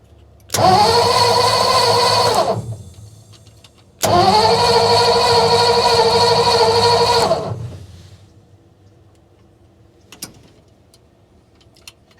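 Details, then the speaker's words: 1955 Ford F-250 sitting outside over 40 years, spark now strong: two long bursts of steady fast cranking about three turns a second, no firing until gasoline primed into the carburetor float bowl; crank no start from fuel starvation. "all right let's try to add a little bit of starbucks frappuccino gasoline prime see if i can get a little bit into the float"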